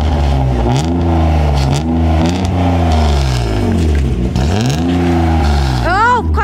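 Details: BMW 323ti M52 six-cylinder engine (170 hp); starting and revving. Catches and revs cleanly in several even sweeps up and down, no knocks or misses; normal engine revving.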